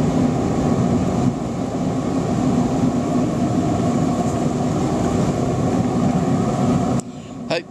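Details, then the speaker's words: Torpedo waste oil burner running on waste vegetable oil, lit with diesel and burning paper instead of gas preheat: steady, deep blowtorch-like roar for about seven seconds, then cuts off; burner caught and running properly. "If I can see the diesel still puddled in there, that'll actually act like a wick. You might be able to hear it is actually getting a throttle up."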